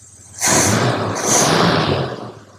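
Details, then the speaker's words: 1966 Plymouth Fury II after tune-up work, microphone near the exhaust: starts easily and two quick throttle blips rise and settle smoothly with no misses or knocks; clean, healthy revving. "Let me come over to the exhaust over here so you guys can hear how clean she's actually running. Listen to this exhaust, guys. Right? Oh, wow. She sounds good, guys. She sounds real good."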